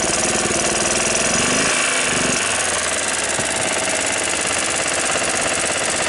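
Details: 1993 Club Car golf cart single-cylinder engine after sitting over six months, plug and carburetor cleaned: fires quickly and steadily with a loud rattly exhaust, running evenly without stumbling.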